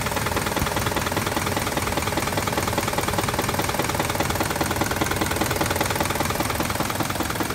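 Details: 2006 Jeep Grand Cherokee with codes C0700, P0307 and P2097: an idling petrol engine with a steady, regular knock of roughly two to three beats a second.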